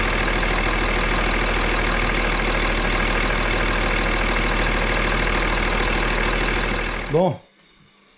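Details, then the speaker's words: BMW X6 3.5d M57 biturbo diesel after turbo work, idling warm: even clatter about four beats a second with no whistle or rattle, no leaks and no smoke (it smoked before), then shuts off; sounds normal. "aucune fuite, rien à détecter, tout est bon. Apparemment le bruit a l'air normal."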